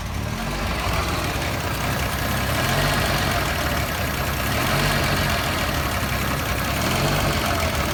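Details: Toyota FJ60 engine idling rough: low, uneven, lumpy loping beat with no steady rhythm; cause not identified.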